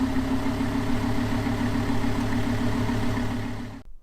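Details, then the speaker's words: 2013 Lamborghini Gallardo LP 560-4 after dealer 8-year service with new spark plugs, engine reported in great shape, cold evening; deep even idle with steady low pulse, no ticks or misses, then clean shutdown; normal running. "I will give you an exiting turn on of the new engine serviced with the spark plugs. So let's hear that and then I'll get home."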